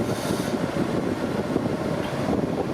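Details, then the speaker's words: Chinese air-conditioning unit retrofitted to a 1995 camping-car, running on batteries after half an hour, fan at full speed, outlet air 15.7 °C, cabin 24 °C against 32 °C outside; strong even rush with no knocks, rattles or pitch changes; healthy. "on est toujours 15.7 en sortie voilà ça souffle à fond toute façon elle va souffler jusqu'à 24 degrés demandé"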